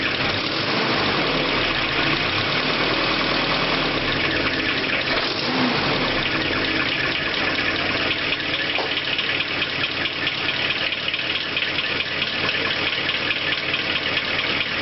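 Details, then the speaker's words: Holden Rodeo diesel idling during a diff and engine oil change: a steady, even idle with smooth clatter and no knocks, misses or hunting. Engine sounds healthy; normal idle. "motor seems very healthy yes"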